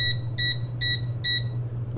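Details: RedStone 1500 W heater after repair of continuous beeping caused by little springs, tested with the remote: short, clean high-pitched beeps about every 0.4 seconds over a low hum are normal acknowledgement beeps.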